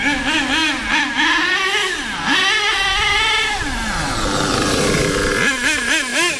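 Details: HPI K4.6 nitro engine in a Savage monster truck after tuning both the low-end and high-end needles, running low on fuel: high-pitched scream rising and falling cleanly through throttle changes; normal running with speed changes.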